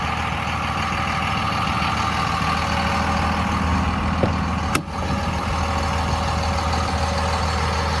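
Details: 2001 Dodge Ram 2500 4x4 with a 5.9 Cummins diesel at 90,412 miles, fully serviced; it settles into a deep, steady idle with an even beat and no knocks or misses: normal idle.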